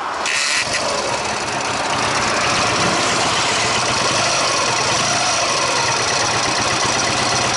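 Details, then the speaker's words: Ural motorcycle twin on a hot-weather trip, restarted after stopping with temperature readings of about 130–170 degrees: a bright, ringing metallic ticking rides over the idle; owner suspects overheating, source unknown. "как я ребят остановился потому как у нас как-то странно зазвучал мотор появился какой-то посторонний звонкий цокающий звук"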